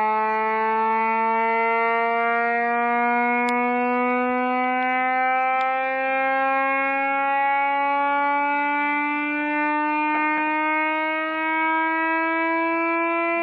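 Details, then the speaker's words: Reverse joule thief circuit using a 2N3055 NPN transistor, started by shorting the transistor leads with a knife: clean steady tone with bright overtones climbing in pitch as supply voltage falls toward about 75–80 mV; running normally. "it's quite amazing to listen to this because the frequency starts high and then uh well starts low and goes higher and higher"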